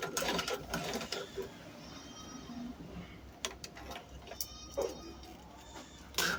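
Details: Sewing machine after servicing, tension plates checked, test stitching: light, uneven clatter broken by sharp snags and ticks. Bobbin thread catches and breaks because the bobbin case does not suit this machine.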